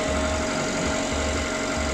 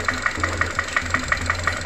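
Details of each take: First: Ravon R2 / Chevrolet Spark M300 B12D2 (LL0) engine, 112,000 km, 5W-20 oil, first start after repair of abnormal engine noise, cold at 23 °C: smooth even idle, steady low hum, no knocking or ticking, runs quietly, normal idle. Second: Ravon R2 / Chevrolet Spark with B12D2 (LL0) engine at 112,000 km on 5W-20 oil: sharp, even metallic knock about six times a second over steady idle; hydraulic lifters checked and ruled out; piston slap.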